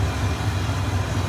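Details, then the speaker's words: 1988 Ford F150 5.0L V8 after a new brass ECT sensor was installed on the water tee. Low, steady burble with an even pulse and no misses. It fires right up, the check engine light is gone and it idles normally. "Got it all installed, and man, runs way better. Fires right up. My check engine light went away."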